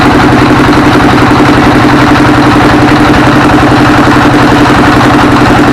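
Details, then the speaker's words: S1115 24 HP single-cylinder diesel that had thick black smoke and surging throttle; after service it runs normally and is ready for work, with a steady, even thump about four beats a second and no misses or surging. "dan nih tadi sudah normal sudah wajar ya Eh dan ini besok bisa buat kerja lagi"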